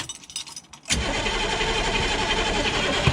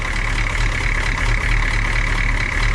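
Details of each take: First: Humvee diesel after valve cover gasket, intake and fuel line work: steady starter churn about three turns a second for several seconds, never catching, with injector lines loosened and spitting fuel to bleed out air. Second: Humvee diesel after valve cover gasket replacement with CDR valve, intake and fuel lines removed and refitted, injector lines bled; oil pressure and voltage present: steady low idle rumble with even clatter, no knocks or misses; normal diesel idle.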